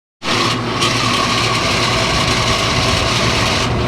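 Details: Outdoor AC condenser fan motor, very loud before oiling with 3-in-One motor oil: loud constant rough whirring with steady high whine; dry worn bearings, oiling helped only about six weeks before the motor was replaced.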